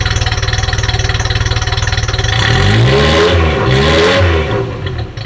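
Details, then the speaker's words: Ferrari 308 warm restart after turning mixture screw slightly counterclockwise: even, quick idle pulse, smooth rev blip and back down without stumbling; sounds a lot better, possibly just from warmth. "Maybe it's because she's warm, but it sounds a lot better."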